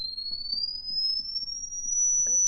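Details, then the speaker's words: 1937 Silvertone Model 4486 console radio: the output transformer and permanent-magnet speaker are driven by an audio generator swept to 60–80 kHz, until the tone is no longer heard. A clean single tone glides steadily upward with no rattle or buzz; the speaker is working. "can still hear it, 60K, 70K, 80K, and I quit hearing it from there. So I think that's going to work."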